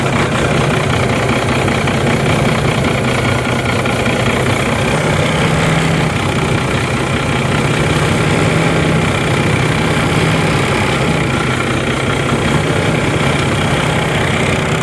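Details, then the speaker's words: Six-cylinder diesel bus running again after clearing water from the fuel filter and repriming, possibly rough at first: steady, even idle with a constant low drone and no misses or stumbles. "all right that felt good to get the big truck running and that was pretty involved"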